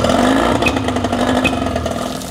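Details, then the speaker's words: Yamaha 20 hp two-stroke outboard, timing set the week before: buzzy revving with occasional sharp spits and pops from the intake, a lean sneeze condition. Cause not yet found; reed valves to be checked. "what we're looking at is why we've got this lean sneeze condition on the Yamaha we did the timing on last week"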